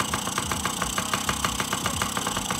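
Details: 2008 Yamaha PW50 kids' two-stroke: crisp, even popping at about six beats a second with a steady rhythm and no misses; carburetion sounds right at idle.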